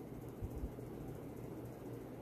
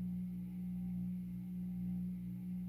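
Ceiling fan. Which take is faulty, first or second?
second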